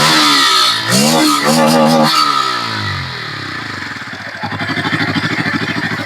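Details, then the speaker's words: Bajaj Pulsar N160 being revved with no silencer fitted: a light, regular tick-clatter, about three per second, rides over the exhaust and rises with revs; source unknown, and the rider says it gets louder after 50–60 km of riding; engine ticking. "वैसे जो cut खट की आवाज है ना वो समझ में नहीं आ रहा वो कहां से आ रहा है क्या है प्रॉब्लम वही नहीं पता चल रहा ये जो हल्का एक खट खटखट आ रहा है"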